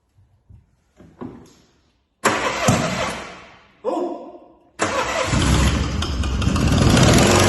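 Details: 1998 Citroën Saxo that had sat for a long while and would not start, tried after a battery change: a few clicks and stuttering crank bursts, then it catches and keeps running with a rising, steady roar, no smoke. Engine starts and idles.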